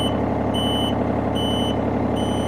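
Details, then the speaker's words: Takeuchi TB230 mini excavator, about 2 hours use, after track drive motor replacement: steady hydraulic drone under a travel alarm beeping about every 0.8 s, no knocks; track drives correct direction, air suspected in two-speed line. "working correctly going the right direction let's hit the two-speed because pretty sure there's air in that line"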